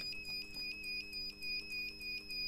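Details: 1500 W power inverter with red light, output filter capacitor, MOSFET and double diode missing; after replacing an IRF740 the fault remains: steady unbroken high-pitched beep signalling a short-circuit alarm.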